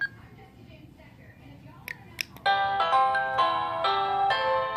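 After a couple of faint taps, a clear multi-note electronic chime rings out cleanly and evenly; the doorbell is working properly.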